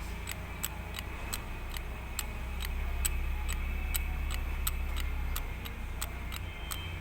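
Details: Isuzu 4HL1 diesel engine noise at 2500 rpm: sharp, clock-like ticks about three to four a second over a low drone, present at that speed and gone at other revs. Cause not pinned down.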